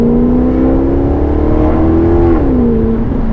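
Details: Maserati GranTurismo once warmed up: smooth, full exhaust tone rising and easing with throttle, no rasp, drone or rattle; exhaust note and power delivery healthy.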